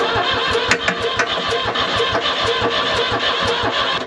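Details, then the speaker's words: New Holland L783 skid steer cranking at a steady beat of about four strokes a second without firing, even with starting fluid sprayed into the intake past the filter; crank no start. "Sprayed starting fluid straight in that, so we're getting past the filter."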